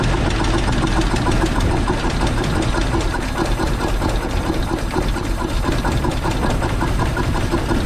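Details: Dodge WC54 3/4-ton ambulance, sitting 20+ years, new carburetor, cleaned points, makeshift fuel supply: loud idle with uneven thumping, lumpy stumbling beat; running rough, likely not firing on all cylinders, something smoking.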